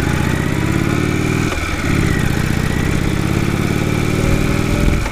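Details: 2015 Indian Chief Vintage, Thunder Stroke 111 V-twin at idle, loping beat with thin steady whine, louder than on other 111 bikes ridden; cause not pinned down.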